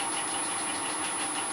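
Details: Two helical gears, bronze and steel, cut on an Elliott 10M shaper and run in the mill spindles at the quietest spacing (about 0.721 in): steady, even whirr with a fine high tone and no grinding; gears mesh smoothly.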